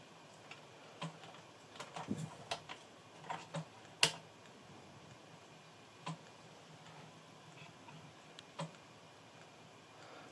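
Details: Amiga floppy drive: irregular sharp ticks, a few per second, over a quiet room as the drive seeks without settling; the disk isn't read.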